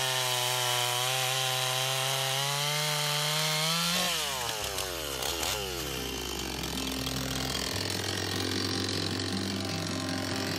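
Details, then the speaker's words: Stihl 026 two-stroke chainsaw after rebuild (carburetor rebuilt with Walbro K20-WAT kit), cutting wood with sharpened chain and set rakers; high steady scream drops and labours evenly under load, pulls strongly, sounds healthy. "throw a bar on here and uh see if we can get it in some wood and try that out"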